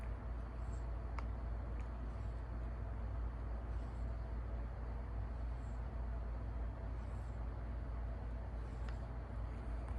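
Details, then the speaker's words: Emerson/Sears 52-inch Turn of the Century ceiling fan, textured white, sold as never used, on lowest speed: steady low motor hum with no ticking or rubbing despite screws checked tight; cause not pinned down. "now this van does hum has an interesting humming noise and I I made sure all the screw were good"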